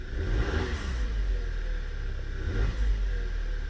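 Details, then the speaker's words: 2011 VW petrol engine with check engine light on, idling and revving with no misfires, a loud steady high-pitched whistle over the rumble; code relates to erratic idle air (OBD-II P0507 equivalent). "let me put this down with diagnosing with all your senses i can hear right now a loud pitch whistle"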